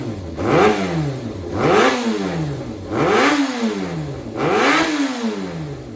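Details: Yamaha XJR400 (4HM, early model) running engine assembly on start-up check, high compression, no abnormal noise or white smoke: four quick throttle blips climbing and falling cleanly with a smooth note; healthy engine.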